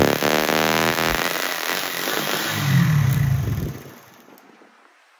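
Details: 2024-model Speed motorcycle after fitting a new ISH-brand ignition body coil: the single-cylinder ticks over steadily and evenly with no skips, then dies away at shutoff; the misfire is cured.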